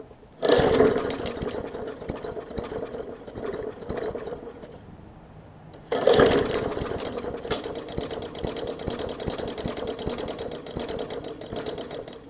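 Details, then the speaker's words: 2014 Bolens push mower, Briggs OHV engine, leaky carb needle and seat, fuel line clamped: after each pull catches and sputters with lumpy uneven firing that won't settle; heavily flooded, running rich, fuel spitting from carb. "so so i think she's very very flooded you see it's spitting out today carb on this one"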